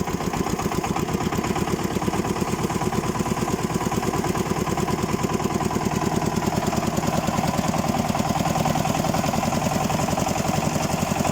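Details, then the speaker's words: Xingtai 244 Chinese tractor diesel at 70 degrees, oil pressure 2: dense regular knock on each firing stroke, appearing under load at certain revs and getting louder; cause unknown, owner doubts crankshaft. "Сегодня в этом же самом огороде у этого же хозяина двигатель застучал. А что ты будешь делать, да? Сильнее, сильнее, по-моему, становится стучать."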